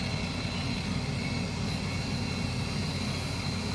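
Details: 2021 Toyota RAV4 AWD rear electric parking brake caliper motor, powered from a car battery via alligator clips, polarity corrected after it stopped right away: steady even high-pitched whir running without stalling, motor turning freely the right way, normal.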